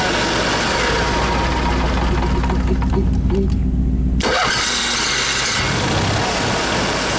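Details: Motorhome (possibly its generator) after chassis-battery ground wires were found disconnected and the bad ground was fixed: cranks about four seconds, catches cleanly and settles into a steady, even idle with no stumbling. Normal start and idle.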